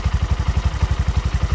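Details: Bajaj BS6 petrol engine, idling after a rebuild for a failed crankshaft bearing (connecting-rod bearings were fine; two bearings pressed in; not rebored). Even exhaust thump at about ten beats a second, steady, no bottom-end knock: normal idle.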